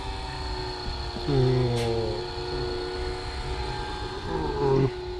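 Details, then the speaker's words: Philips pasta maker after an EEEE error was reset, extruding dough that is too dry and hard: steady motor hum that sags and drops in pitch twice; motor straining on over-dry dough. "Little bit of pasta coming out. This is very dry. Probably too dry, start to break. Still pushing. As you can see, the mix, the dough is too hard."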